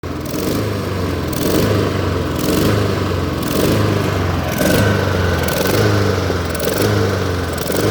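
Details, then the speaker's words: Lawn mower that sat 2–4 months over winter, started after 10–15 tries: small engine surges unevenly about once a second, boom-boom hunting; rough running, likely old gas in it. "But the way you just heard it, boom, boom, boom, you know, it has a little bit of old gas in there. It's not ideal."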